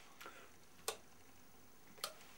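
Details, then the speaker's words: Washing-machine atmospheric pressure switch reused as a bilge pump switch, tested by gently blowing down its pipe with a continuity meter attached: two sharp, crisp clicks about a second apart as it snaps over cleanly; normal. "And that's just me gently blowing down the pipe. So I'm using that principle to switch the bilge pump on and off."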